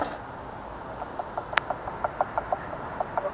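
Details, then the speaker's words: Boosted electric skateboard: hand-spun rear hub motor clicks about six times a second, bearings seized and wearing the shaft, leaving play; motor needs replacement. "That means that, this side's bad too. That means that the bearings inside of here are seized up and it's wearing down on the actual shaft itself, which is bad."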